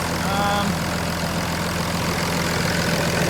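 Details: 2006 Cummins common-rail diesel swapped into a 2001 Ford 7.3 two-wheel-drive ZF6 truck with 2006 6.0 electronics, factory alternator for belt alignment, warming up: steady low idle, even beat, no belt squeak or chirp. Normal idle.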